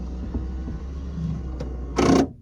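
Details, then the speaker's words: 1981-era DeLorean DMC-12, driver's side power window: goes down fine, but raising it gives low motor drone with clicks then a harsh grinding burst. Passenger side works; regulator/motor to be replaced, cause unconfirmed. "And that noise is the problem. So, I'm going to show you the part that we're going to replace it with."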